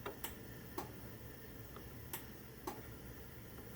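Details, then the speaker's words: Genie 1035 garage door opener on a 4x3'6" Midland door, safety sensors deliberately knocked out of alignment: faint sharp loosely paired clicks a second or two apart, no motor run; opener held off by misaligned sensors. "so what's kind of interesting about this operator when you knock the uh sensors out of line see that one's flashing now um that the machine just sits there and clicks instead of actually running"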